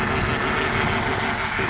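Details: 1994 Mercedes E420 M119 just restarted after a three-week no-start blamed on carbon holding the valves open (compression as low as 20 psi): an uneven, lumpy, shaking idle.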